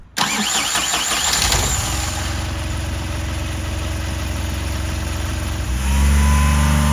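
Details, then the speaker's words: Smart Forfour first generation, 1.5-litre three-cylinder Mercedes diesel, manual, 240,000 km: rough shaking idle then a rev blip, whole car drones and vibrates; broken engine mounts. "Au fait, voilà le bruit que font des supports moteur cassés. Pas seulement sur la Smart, mais aussi sur d'autres voitures. Oui, toute la voiture vibre, et on sent vraiment que"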